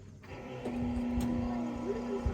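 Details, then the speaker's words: International Harvester 1800 Loadstar electric fuel pump after replacement, wiring corrected from running backwards, key on: steady mid-pitched electric hum over room noise, pumping much harder and faster; sounds good. "turn the key on turn the key on they're pumping way harder sounds good go ahead"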